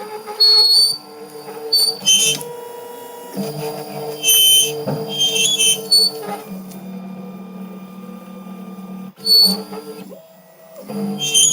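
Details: Shipping-damaged Wombot Exilis XL 3D printer while printing: shrill, whistling screeches in short bursts over humming, shifting stepper-motor tones, with serious print quality issues.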